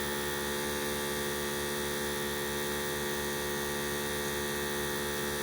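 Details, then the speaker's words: Harbor Freight 12V 150 PSI inflator compressor filling a flat Jeep Comanche tire, 26 psi at about three to three and a half minutes; even buzzy drone with no knocks or surging, not overly noisy: normal running. "she's still going that's not overly noisy 26 pounds three and a half minutes about three minutes"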